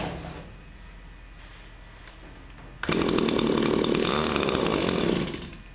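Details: Two-stroke hedge trimmer, just after blade sharpening and gearbox regreasing: quiet idle, then revs up into a steady buzzy drone and drops back cleanly; runs normally.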